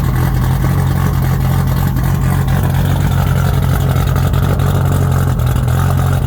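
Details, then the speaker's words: R32 Skyline GTR (620+ whp) at idle: heavy low rumble with a loose, uneven patter about four beats a second; owner suspects something gone bad in the transmission or a loose bolt, unconfirmed. "has gone bad, or maybe one of the bolts has come loose or something. I don't know."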